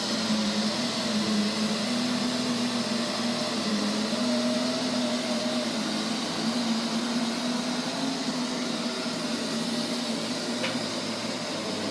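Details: Neato robot vacuum, used fewer than 30 times, suddenly making loud noises at random intervals and lengths: loud steady whirring with a wavering mid-pitched drone on top; source not pinned down.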